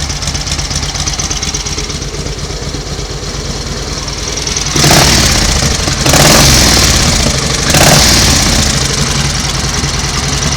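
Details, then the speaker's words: 1938 Matchless 990cc Model X V-twin after revival, oil returning to the tank: loping beat around three and a half per second with a few clean throttle blips, no rattles or clatter; a healthy idle. "well that is running absolutely beautifully isn't it no Raffles no clatters"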